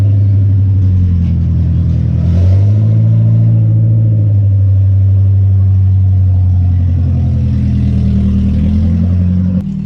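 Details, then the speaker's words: 1974 Datsun 620 truck with KA24DE swap from a 1997 Nissan 240SX, before the new exhaust, being revved: very loud, raw, deep unmuffled drone rising and falling. Excessively loud straight-piped exhaust. "The biggest downside is that it is horrendously loud currently. Go ahead and start it up so we can hear how horribly loud it is. Rev it. Yeah, it's way too loud."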